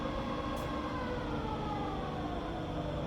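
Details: Rebuilt Bridgeport milling machine spindle running in low range, from about 60 up to 260 RPM. A quiet, even hum with a steady gear tone that rises with speed; no knocks or grinding, the spindle runs smooth.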